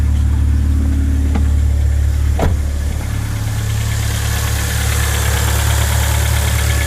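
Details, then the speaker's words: 2000 Ford Focus 1.4 after cleaning the idle control valve with carb cleaner for a hunting idle: low settled idle hum, steady beat, no ticks, rattles or hunting; no odd exhaust noises, idle slowly coming down while warming. "she's ready to go go but yeah I mean she's there's no funny noises AP from the exhaust she sounds like she felt good there's no funny noises"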